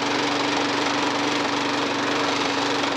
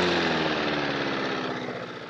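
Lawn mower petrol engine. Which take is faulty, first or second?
first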